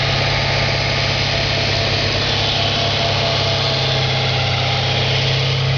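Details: 2004 Audi S4 4.2L V8 at idle, oil pressure over 100 psi at idle (gauge possibly hooked up wrong): steady idle with a faint quick tapping riding on it, even and unchanging; engine knock at idle, cause unclear.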